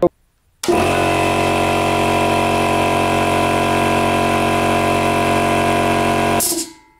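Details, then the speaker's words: Air compressor that started poorly, after an oil change, cleaning of the contacts and a new start capacitor: it starts cleanly and settles into a steady motor hum with a firm pumping beat, no hesitation or rattle; running normally. "раз всё работает как часы"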